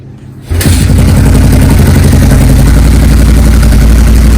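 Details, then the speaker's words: Honda XR600R single, after fixing a stuck carburetor float valve that overflowed fuel; kick-started stone cold on half choke with the fuel tap on: catches at once and settles into a steady, even thump without misfire; normal running. "Basically just rambling on here, how got it running, fuel tab's still on, it's not pissing everywhere, so that seemed to have solved the problem for us."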